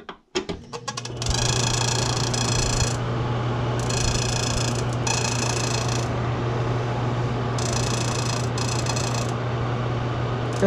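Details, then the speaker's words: Noisy washroom exhaust fan: steady whir with bursts of rapid ticking rattle about four per second as a loose part touches the spinning blades; fixed by adjusting the part away from the fan. "so Ayun nga guys inadjust lang natin to Ito lang yung dumidikit guys tian mo So ilalayo lang siya natin wala namang problema diyan"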